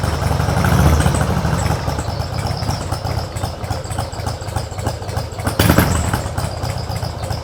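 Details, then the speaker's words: Mostly original carbureted two-cylinder Harley Sportster right after cold start on choke; loud loping idle that surges and sags unevenly, no knocks, heavy vibration; exhaust apparently altered; normal cold-start idle. "Suaranya sih sebenarnya beda dari yang dulu ketika pas dilepas. Kayaknya knalpotnya pernah diganti-ganti sedikit ya. Tapi dentuman khas motor karbu 2 silinder Harley-nya itulah yang membuat gue jatuh cinta banget."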